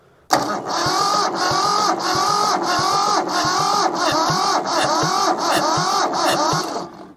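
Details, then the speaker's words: Mitsubishi diesel tractor saved from scrap, cranking after oil was squirted into the cylinders to raise compression: uneven chuffs about twice a second, firming as a second cylinder picks up compression; previously only one cylinder had compression. "did you guys just hear the difference there I hope you did we only had like compression on one cylinder there for a second that second one just chimed in"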